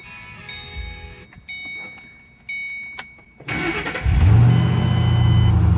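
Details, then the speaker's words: 2006 Mustang GT 4.6L 3V V8 with Flowmaster exhaust, first start after replacing all 8 coil packs: quiet start, then an even, deep burble with no stumbles; runs cleanly on all cylinders. "Sounds good. Listen to this exhaust purr. Those Flowmasters sound good."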